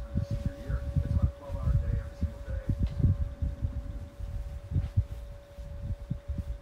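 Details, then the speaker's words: Kool-Flo SFC2-300B 12-inch high-velocity 3-blade fan on low speed, new and breaking in: steady mid-pitched motor hum over soft blade thumping; a faint bearing noise is also present, owner hopes oil reaching the bearings will cure it. "Definitely like that hum. Something that the drum fan over there don't have at all."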